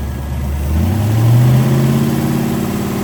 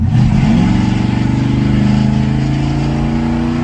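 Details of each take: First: 1941 Willys hot rod V8: revs up briefly then drops to a lazy idle, revs out but feels like a dog, not pulling hard; ignition timing suspected, balancer timing mark reads 60°, rubber GM factory balancer likely rotated. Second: Willys hot rod small block V8 after retuning the timing, which had been 25° initial and 40-45° total: the revs climb quickly and cleanly with an even rising note, no stumble, then drop back smoothly off throttle.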